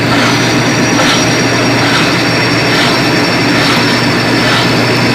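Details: Colormaq 11 kg washing machine after replacing the blown upper spin bearing (lower agitation bearing was fine): steady high-speed spin hum with soft whoosh about once a second, no grinding or rumble; repaired and working normally.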